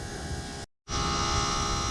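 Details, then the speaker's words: Maddog GY6 scooter with vacuum pump deleted for Amazon 28gph electric fuel pump: float bowl full, float needle shut fuel off, yet pump keeps running; steady high-pitched buzz briefly cutting out then resuming evenly, holding head pressure against closed float valve, normal. "But the interesting thing is the pump is still going. But whatever's inside must know to turn the fuel off and keep the pump spinning, so I guess fuel's easy to pull."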